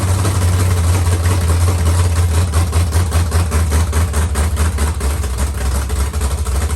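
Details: Carbureted LS7 V8 with Stage 3 cam and heads in 1971 Camaro, first fire with no coolant circulating: deep loping idle with slightly uneven cam chop, otherwise steady and healthy.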